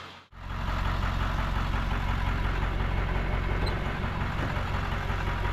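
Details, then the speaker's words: Ford F-250 7.3 Powerstroke diesel after fuel injector replacement, at operating temperature after 20–30 minutes idling: smooth even low clatter, no miss or stumble. "i can already tell you the truck sounds so much better after just having idle for 20 30 minutes it sounds good we're up to operating temperature everything looks normal"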